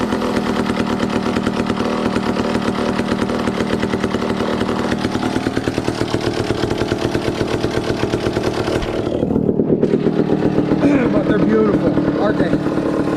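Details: 1962 McCulloch 1-46 chainsaw, revived after it had no carburetor, fitted with a scavenged old carburetor and intake part: rapid, crisp two-stroke popping holds steady and settles to an even idle with no misfire, so normal running.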